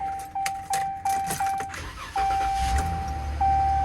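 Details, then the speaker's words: 2019 Ram pickup at government auction; starter turns over in quick even pulses under a steady chime, then catches cleanly into a low, smooth idle; normal crank and start. "All right, cranks up, sounds good."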